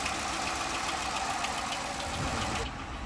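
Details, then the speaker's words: 2012 Dodge Charger ex-police car, likely V8, idling at auction with hood open: chattery quick uneven ticking over engine note; judged a bad, worn camshaft. "Can you hear it? Chattery. Yeah, it's chattery. Doggone it. Let's look underneath the hood. Can you hear it? That is a bad cam."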